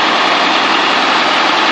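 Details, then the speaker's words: M35A2 army truck idling after fixing a softball-sized hole in the exhaust pipe between turbo and exhaust: steady, even idle with smooth hiss-like note, no ticking or puffing leak, quieter as it runs; exhaust sealed. "The longer she runs, the quieter it gets. Sorry for the shaky camera."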